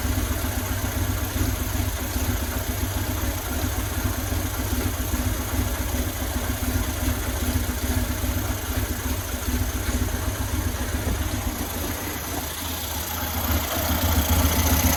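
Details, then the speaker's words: 2000 Buell Cyclone M2 V-twin, first start after new lifters and battery installed to cure lifter tap: steady low loping idle, no top-end ticking, only breather noise; normal idle. "Sounds like a runner. Only noise I got is just from the breathers, which that's not unusual because this stuff is sealed off. But aside from that, it's running."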